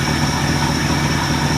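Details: Ford LTD V8 idling on a new $80 eBay 2150 Ford carburetor, carb screws untouched, replacing a carb that poured gas; low, even burble with steady pulses, no stumbling, ticking or knocking. Normal idle.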